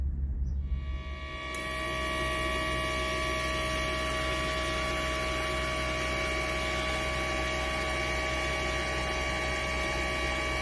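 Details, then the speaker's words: 1990 BMW 750iL (E32): smooth, even idle with a steady low hum and fine whine, no stumble; noticeably smoother than before and now seems to run equally on all cylinders, a normal idle. "nice pretty smooth so far the exhaust note is actually noticeably smoother uh i mean the tone was the same before but we kind of put not like it was missing but i just i truly don't think it was running equally across all cylinders and it really sounds like it is now"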